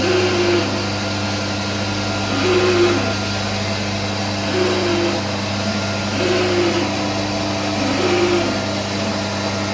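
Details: SCM Minimax S45N machine with strange noise and power cutout: steady motor hum with wavering mid-pitched tone returning about every two seconds; something loading or rubbing irregularly, cause undiagnosed.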